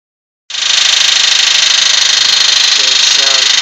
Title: Blown Civic Engine Knock..